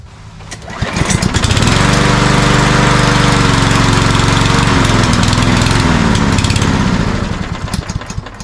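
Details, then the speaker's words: Cub Cadet self-propelled walk-behind mower, primed three times: starts, runs a few seconds, then sags and dies once the prime is used; suspected fuel starvation from a clogged pilot jet or emulsion tube in the carburetor. "Seems to me once you lose the prime, you know, you get gas into the chamber, it's dying. So it's more like a fuel problem, I think."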